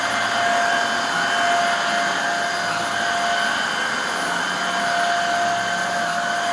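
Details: Refurbished Hoover Air Steerable vacuum, commutator polished and new lower hose fitted, test run on carpet: steady, even motor roar with a constant mid-pitched tone and airflow hiss, no rattles or surging; decent suction, healthy.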